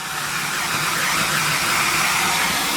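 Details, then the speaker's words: Central vac with an intermittent hose switch, after the hose was reinserted in the correct outlet orientation: an even, continuous whooshing roar with no cutting in or out, the vacuum motor running steadily. "before you'd be vacuuming it would be going on and off without it now"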